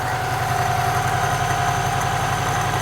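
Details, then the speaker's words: Retro Saab, one owner from new, stored in a barn about 32 years, first run since storage, possibly short on fuel: steady, even low putter like a sewing machine, no knocks, misses or rattles; normal idle. ">> Listen to that sound. >> Sounds amazing."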